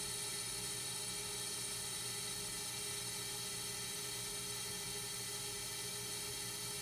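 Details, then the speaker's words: Accu-Turn 8944 brake lathe resurfacing a rotor: even, steady high whir with no howl or chatter on a clean finishing pass, rotor ending about 27.3 mm, above minimum thickness. "alright looks like we got a nice clean pass on that one"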